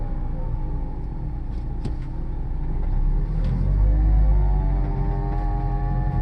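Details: 2007 Dodge Caliber, 70k miles, CVT not slipping or overheating, otherwise runs perfect. A moaning whine rises and falls when accelerating and decelerating, heard only at low speed. Cause unknown.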